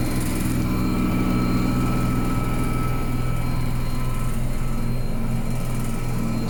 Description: This is our basement noisy washing machine.